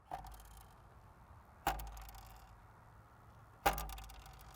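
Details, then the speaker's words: Triumph Tiger 900 GT Pro at rest: single sharp rattling knocks about every two seconds as the nose is moved; a stone or something loose is suspected inside the double-skinned front fairing, not confirmed. "Can you hear that rattling around? There's obviously a stone or something got up inside here."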